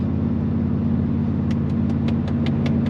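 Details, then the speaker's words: Truck with MBRP exhaust cruising in high gear at about 75 mph on the freeway: steady low rumble with no booming drone building up, light taps on top; conversation is easy, no drone. "Get up to highway speed, about 75 mile an hour, and I can hear completely fine."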